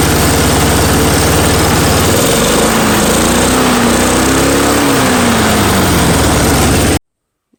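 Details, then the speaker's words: Curb-find Snapper mower, Briggs & Stratton engine, run on starting fuel with air filter off despite nicked piston, corroded carb and twisted-off bolts: catches, runs steadily with revs rising and settling before cutting off; normal running. "you have it the snapper I thought would not run because of how poorly the engine actually is"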